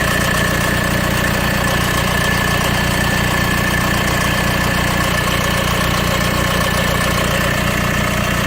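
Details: 2010 Mercedes B200 CDI (W245) diesel, 110,000 km, 30 seconds after start: hard metallic timing chain rattle, two or three clacks a second over idle clatter, caused by fuel rail pressure valve counterpressure; chain wear probably from engine oil dilution.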